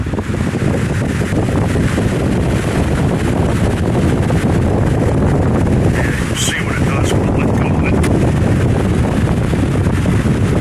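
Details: Late-1990s/early-2000s Lakewood 20-inch box fan on high speed, cleaned and reassembled after two and a half years stored: steady airy rush with no rattle, tick or scrape; runs smoothly and healthy.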